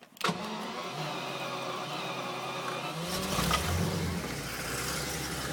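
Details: Jaguar V12 in a Nemesis kit car, being checked for ignition timing over low power: short crank, then the engine catches and settles into a soft, even idle with no misses or knocks; normal start and idle.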